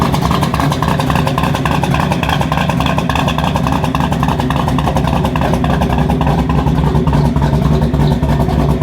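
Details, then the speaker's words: 1985 Chevrolet K20 with 383 stroker V8, cam, long-tube Hedman headers into Flowmaster 44 side exhaust, revived after years in a field: loud, deep choppy lumpy rumble pulling steadily, no knocks or misses; normal running. "running great man it uh it is loud dude I've got obviously it's a 383 stroker it's cam you can hear that cam it's a long tube headers headman headers into uh a flow master 44 and then cowboy style out the side so it's loud man"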